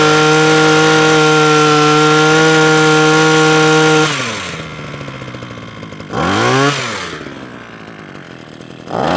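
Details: Parkside (likely SK1E34F-LD) small two-stroke hedge trimmer that keeps cutting out, primed and choked; steady buzz whose speed sags, briefly recovers and drops again; stalling from stiff carburettor metering diaphragm and blocked fuel screen.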